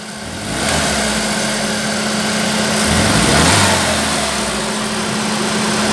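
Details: 2008/2009 Chevrolet Prisma 1.4 flex: engine revs up rough and uneven under quick throttle, checked with an exhaust probe; misfire on fast acceleration, not at steady revs, traced to a worn spark plug.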